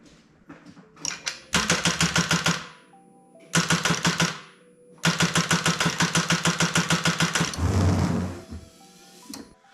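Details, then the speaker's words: 2012 Chevy Cruze, freshly installed engine, first start attempt on jumper cables from a Jeep: several bursts of sluggish, even cranking about three turns a second, never catches; sounds like weak battery, not confirmed. "Alright, that's not doing it. It's not looking too good."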